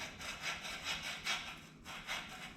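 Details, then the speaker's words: Dirt late model quick-change rear end being torn down, birdcage bearing spun by hand after pressure washing: gritty, raspy rumble surging about twice a second with each push, so the bearing is pretty rough and worn, unlike the smooth one. "probably hear that probably hear that on the video yeah pretty rough"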